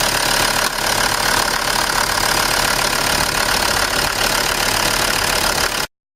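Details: 2006 Land Rover Defender diesel, after fault found in a new fuel filter body with a misplaced air bleed valve, fuel system purged and clean: even diesel clatter at steady idle, about 3.5 beats per second, no stumbling; normal idle.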